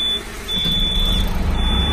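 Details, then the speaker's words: 1997 Gillig Phantom transit bus diesel started up: a steady high buzzer sounds on and off over the rumbling diesel, the low-air warning buzzers at startup; parking brake on. "Just diesel and go. Fire it up, all our low buzzers."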